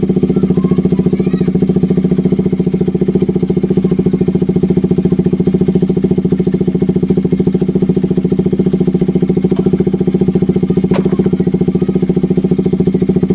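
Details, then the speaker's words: KTM RC 200 after replacing a faulty spark plug cap that caused stalling, no-start and rough idle. Smooth, even idle with steady firing and no misses or stumbles over thirteen seconds; running healthy. "Sige so Ayan umandar yung motor Ito lang yung pinalitan natin"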